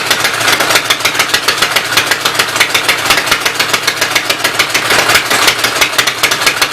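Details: Fast, sharp, even firing clatter about four to five beats a second with rattly top end on the Westchester engine, valve cover off, oil spraying; owner suspects knocked-out block caused smoking; top end needs rebuilding.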